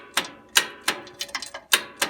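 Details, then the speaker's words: Onan NB engine, spark plug out, cranked from a jumper pack on makeshift cables with a rusty terminal: sharp single clicks, about three a second, no cranking; solenoid clicks, owner suspects bad connections. "got a clicking solenoid so something's happening I think we got to reconvene our connections here"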